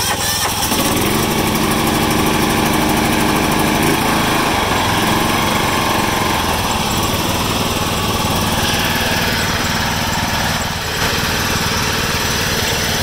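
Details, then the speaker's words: 1996 John Deere LX176 lawn tractor, Kawasaki engine, sat several years, old gas, 9-year-old battery on jumper: cranks briefly, catches fast and runs steady and even on choke; healthy first start. "typical Kawasaki. Reliable engines, you gotta love them."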